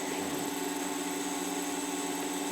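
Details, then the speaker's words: Oxilam LED high/low beam bulbs on a 2015 Subaru Outback: a steady, fairly high-pitched whir from the small bulb cooling fans, audible on one side only; normal, just a little noisy. "now I am noticing on this side specific speically you can hear the little fans running so keep that in mind that it is going to be a little bit noisy"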